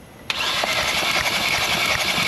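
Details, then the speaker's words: Kia Rio 1.6L four-cylinder (2017 or 2018) hydrolocked after driving through floodwater, cranked with spark plugs out for a compression test; the starter whines and spins fast and even with no compression pulses, and cylinder four shows no compression. "all right man hit it that's not making compression"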